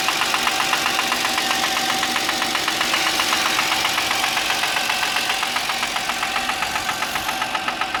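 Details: Audi A6 C6, cold morning start: a sharp, regular metallic knock about four per second over the cold idle, fading slightly as it runs. This is a cold-start engine knock.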